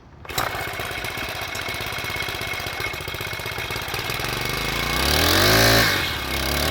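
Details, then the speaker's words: 4-stroke weedeater being winterized, started on a cold day with a bit of gas, idled to circulate fuel through carburetor before storage: catches at once, rapid steady putter, revs up cleanly and drops back; normal idle. "All right, so it's idling. I'm gonna let it idle for like 10 minutes or so just to make sure the gas gets circulated, and then it'll be ready for storage."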